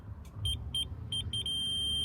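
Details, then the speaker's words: Newly installed aftermarket parking sensors on Honda Civic MK8, tested in reverse: high-pitched beeps speed up and merge into one solid tone as the obstacle nears; sensors working properly. "so now we're just going to do quick test by putting it in in reverse so you can hear you could hear the beeping of the parking sensor so it's all plugged in you can hear it peeping"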